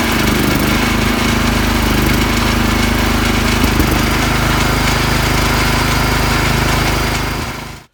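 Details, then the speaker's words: Petrol generator that would not hold revs, after its carburettor was cleaned and its channels flushed, started from the battery: steady, even drone with a slight soft sputter, holding its speed; normal running. "заводимроставстала жара є те що він почортує це його нормальна робота"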